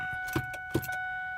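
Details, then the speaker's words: 2002 Ford Expedition 2WD that won't start: two sharp clicks at key turn, then silence with no crank, so power isn't passing to the starter. Owner suspects water got into the starter relay after a snowstorm and plans to replace the relay. "know if you're going to be able to hear that but so it's making a clicking sound upon the switch of the ignition it's not passing to the starter"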